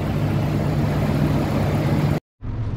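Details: Nissan pickup after replacing rotted water seals with engine in place and refilling antifreeze: even, steady low idle with smooth hum, no misses, knocks or ticks, no leaks; normal idle after repair.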